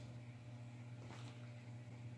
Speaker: now I don't know if you can hear the transformer humming right now but it is now